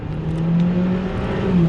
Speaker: And you can hear and see that the car accelerated because it downshifted all the way down to first gear.